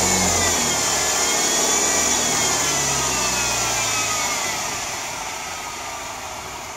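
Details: BMW E90 320i engine whine: high, clear whine rising and falling with revs and fading as the engine settles; suspected pulley or alternator bearing in the belt drive, not confirmed.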